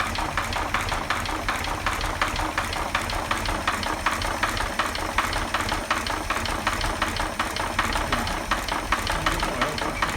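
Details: 1940 Chevy 216 inline-six idling with a steady, fairly soft knock in time with the engine's turning; bad bearings, oil pressure about 5, low oil pressure, needs a rebuild.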